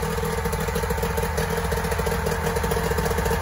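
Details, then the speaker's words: 1994 Mariner 30 hp two-stroke outboard in a test bucket after a carb clean and a lower unit service with a new water pump: even, quick burble at idle with no stumbling; it runs and revs as it should. "all right it's running okay that's a good sign she revs up when she's supposed to"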